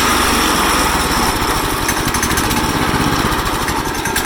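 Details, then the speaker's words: Yeft Dog go-kart small engine on a jack stand after carburetor work: rapid chattering beat that surges and hunts instead of holding steady speed; uneven revving, still needs more tuning. "it will rev up god almight still be kind of weird I don't know but it does"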